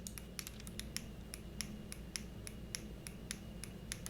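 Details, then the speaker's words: Cooler Master MM710 53 g lightweight honeycomb gaming mouse squeezed on both sides: sharp ticks and creaks, about three a second, shell flexing badly enough to activate the buttons; shell flex creak. "this is hands down the worst flex I've seen in the mouse yet worse than the model oh when it first came out worse than the model oh right now I mean this thing is horrible"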